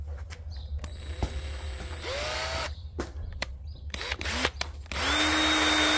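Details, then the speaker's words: Fox shock reservoir releasing nitrogen: sharp clicks and fiddling, then a steady airy hiss of gas escaping the reservoir; normal nitrogen release. "A lot of air, nitrogen. So that's normal to hear that, and you want to hear it."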